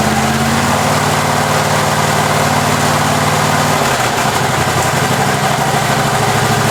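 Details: Husqvarna 54-inch deck zero-turn mower from a shed, first start on a new battery: petrol engine fires and settles into a steady, even run with a brief load change midway; runs pretty good, normal running.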